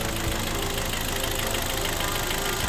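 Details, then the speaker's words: Hyundai ix35 with high oil consumption, hot idle: a fast, dull knock constant with idle from worn piston skirts slapping; cylinder scoring suspected, engine teardown for boring or sleeving planned. "Вот так он на горячую подстукивает проблемы с тем известная это юбки поршней сейчас по цилиндрам там сто процентов задиры"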